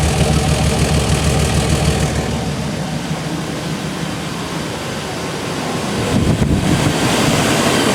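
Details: Chevy/GMC 5.7L Vortec V8 truck after fuel pump replacement idles with an even, steady rumble and no misses, knocks or stumbles. It is running smoothly and there are no leaks.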